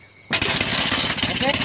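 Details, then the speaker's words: Burned motorcycle reassembled, more fuel added, yellow pulser wire disconnected and black joined to black for testing: after a quiet moment engine catches abruptly and keeps running, raspy and slightly uneven; it starts. "ternyata hidup. Oke, sudah, begitulah sudah cara menghidupkan."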